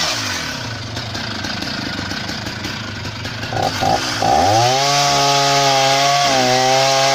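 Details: Husqvarna 480 CD chainsaw, first tank after full rebuild with new OEM piston and cylinder, breaking in: revs from rough idle into clean steady high scream holding even under cut, no misfire; normal running.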